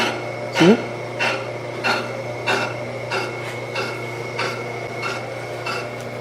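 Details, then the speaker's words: Brake lathe machining a front disc brake rotor from a 1973 Dodge Dart. The cutting bit, drawn down until it just touches, scrapes lightly about once per revolution, catching only the high spot and showing the rotor's runout. "So it's not, you hear it just touching every once in a while. Okay, so it has, that's how much run out it has, and how much it has. How not flat it is, basically."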